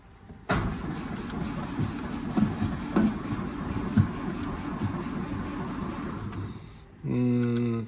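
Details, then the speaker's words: 1939 Austin 12 on a boost pack: the starter churns slowly and unevenly for about six seconds with no firing. Fuel was seen moving through the filter; it cranks but won't start. "Doesn't really sound like it's trying the bonnet release."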